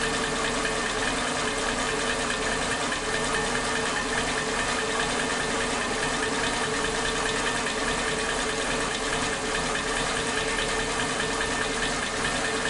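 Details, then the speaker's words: Suzuki Katana engine, warm, idling on its old spark plug wires (firing order 1342): RPM unstable with an uneven, stumbling beat and brief pauses as if ignition cuts out; misfire from faulty spark plug wires. "Oke, memang kembali lagi penyakitnya mesin tidak stabil RPM-nya. Jadi kadang ada jeda, kayak pengapiannya terhenti sebentar gitu."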